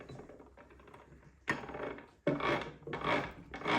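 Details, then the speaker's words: PRM Newage 40M2 gearbox from a Benford 32D site dumper, turned by hand during teardown: light ticks, then rasping, ratchet-like clicking from lower in the box, not the removed roller bearing; metal shavings found earlier. "it's clearly coming from down there well the clicking is that now that's from down there"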